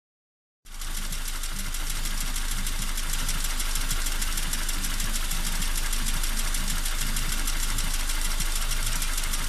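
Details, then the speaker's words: Toyota Corolla II with 5E-FHE engine: steady metallic ringing knock at idle, roughly 220 per minute, clear over the engine note; source not yet pinned down. "народ, вот так вот звенит наш двигатель. Вот так работает мотор."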